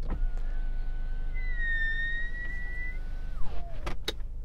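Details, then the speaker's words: Genesis GV70 SUV: the normally very quiet electric window motor gives a thin whine that rises for about three seconds, then sags as the glass stops; the strange noise appears only when the window glass is wet. "while the electric window motors in this car are very quiet if the window is wet you get this strange noise"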